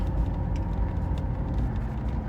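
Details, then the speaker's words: 1996 Impala SS after intermittent no-start possibly traced to a connector: steady low rumble while driving, smooth with no stumbling; running well. "she's running pretty good guys"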